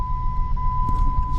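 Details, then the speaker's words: 2001 Jeep Grand Cherokee WJ Laredo 4.7 V8, 142,000 miles, first start after rebuild: smooth idle under steady one-note high whine; power steering pump whining because fluid was lost when the hydraulic fan was pulled, fluid top-up planned. "um running smoothly the only thing that I'm currently hearing is power steering noise because I did lose some pair of steering fluid"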